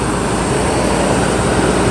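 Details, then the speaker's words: 1994 Mercedes S420 after misfire repairs, cold start after sitting a couple of days: smooth idle under the roar of the engaged fan clutch, quiet with no more ticking, still needing to warm up. "so this is basically how it runs now quiet no more ticking it needs to warm up of course a little bit"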